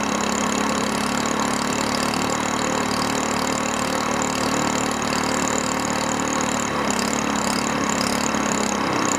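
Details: Small single-cylinder longtail mud motor, cold, just refilled with 10W-30 Royal Purple synthetic oil plus engine treatment: steady, even, fast beat with no knocks or misses; normal healthy running.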